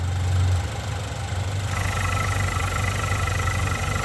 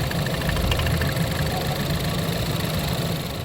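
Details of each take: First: Turbocharged car idling with the oil filler cap off, run as a blow-by comparison. Smooth, steady idle with a soft even hum and no knocks. Healthy engine. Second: Ford 2.0L EcoBoost in Lincoln MKC, oil slightly low, oil filler cap off: steady idle rumble with uneven low puffing from filler; heavy blow-by suspected, owner fears engine failure though it runs well.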